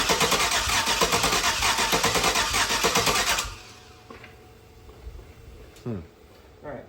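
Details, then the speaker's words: LS 5.3 V8 for a Nova swap, base-tuned with HP Tuners and run on the garage floor: steady cranking, about three turns a second, with odd pops and no catch. With the intake manifold pulled, only one injector was firing; another injector set fixed it. "We pull the intake manifold off, crank it with the intake manifold off, and it's firing a single one injector. So that's why it was going bloop, bloop, bloop."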